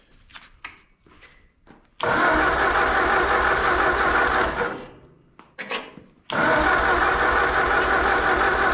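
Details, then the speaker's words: Ford 8N tractor engine on first start after rebuild, with spark plug wire order just sorted: short cranking bursts, rough catches for a second then dying; cranks but won't keep running, flooding suspected, spark timing not yet confirmed. "Okay, I think we're flooded. Let's see if we get any spark here. Well, it tried to do it for a second."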